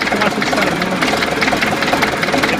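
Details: DT-75 crawler tractor diesel at idle; rough clatter with a sharp repeating knock inside the engine, source unclear; engine knock.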